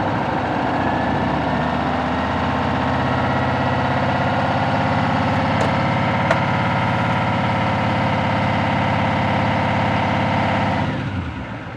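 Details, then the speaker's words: 2018 Chevrolet Silverado 2500 HD, L5P Duramax diesel, about 500K miles, cold start, coolant 111 °C, raised to nearly 2000 rpm with oil pressure only 53 psi (owner says too low): thin constant supercharger-like whine that appears when idled up, source unclear; no check-engine lights. "53 PSI at nearly 2000 RPMs it should it should be way higher than that and I don't know if you guys heard that almost sound like a supercharger wine they came in when I when I idled it up"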